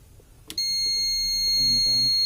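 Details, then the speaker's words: PC UPS battery backup during repair, battery (about 12.8 V) being refitted: steady, piercing high beep as soon as the battery connects, with indicator light showing battery low; UPS low-battery alarm. "ශබ්ද එනවා. ඔන්න මේකට එන්න light එක කාව බැටරිය ගන්න වෙලාවෙම ඒක නම් බැටරිය ලෝ කියලා තමයි පෙන්නන්නේ."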